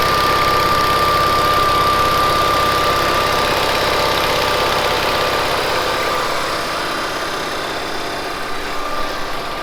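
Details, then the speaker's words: 1970s Bolens QT16 tractor, running after gravity-feeding fuel into the carburetor: steady, even idle at constant pitch with a faint high whine from the hydrostatic drive; engine running normally, normal idle. "the hydro on these has a distinct sound i like listening to it i don't know if you can hear it on the camera or not"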